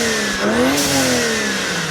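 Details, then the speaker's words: BMW 335i N54 after boost leak fix, alternator, water pump, gaskets, walnut-blasted intake valves and catch can, around 2,500 rpm: hard pull with rising turbo whistle, sharp blow-off valve whoosh on lift; boost system healthy. "Oh wow, even just 2,500 RPM. I could hear the intakes in the blow-off valve. Ooh. That's why you own a turbo car right there."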